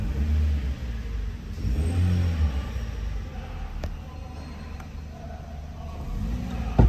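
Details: Toyota Yaris in a drive belt tensioner replacement job: low steady engine rumble with a brief rev lift, no squeal or chatter from the belt drive. Even, healthy normal idle.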